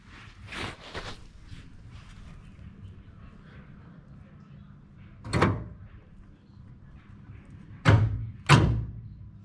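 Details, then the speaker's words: 1986 Buick Grand National, after reconnecting an unplugged power-door-lock cable found under the dash: solid lock clunks repeat every few seconds on both sides with nobody pressing the switch; both actuators keep cycling. "both sides um both the lock actuators keep doing the uh the locking function on both sides"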